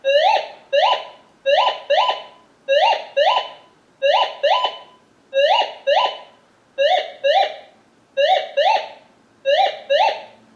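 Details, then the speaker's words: Minelab Gold Monster 1000 metal detector indoors in all-metal mode: paired rising warbly tones about every 1.3 s as the coil sweeps over a small piece of aluminum; aluminum target tone. "Now that's just a piece of aluminum compared to this."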